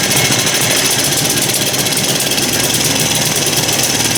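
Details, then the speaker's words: Small engine test-run in a heated shop: it has spark but runs rough with fast, uneven popping clatter and a wandering beat; owner suspects dirt in the carburetor, finds a jet bunged up, and says the carburetor needs to come apart. "she's got some spark we'll say I'm trying to reach here and grab the throttle and that stupid thing's right there I should put something over it well sounds like it's got some dirt in the carburetor"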